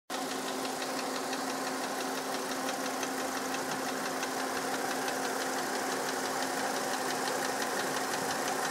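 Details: 1999 VW Passat VR5 Synchro, 2.3 AGZ engine, 150 hp, at idle: fast, uneven clatter over a steady hum; abnormal mechanical engine noise, cause unknown.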